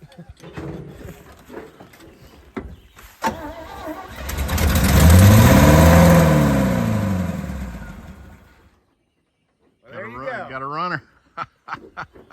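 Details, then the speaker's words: 1974 GMC 6000 pulpwood truck, parked 22 years, with a new battery and fuel poured down the carburetor: after cranking, the engine catches, revs up and falls back over about five seconds, then stops. It fires and wants to run. "She wants to run."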